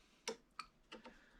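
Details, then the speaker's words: 2014 Nissan Rogue VVT oil solenoid, removed and bench-tested on a jumper pack (engine skipped and sputtered like a misfire): few sharp, uneven clicks with sparking; piston stuck shut, possibly spring fault, solenoid faulty. "i open it up manually and then i click it with the power and then it just sparks so well there you have it it's stuck shut"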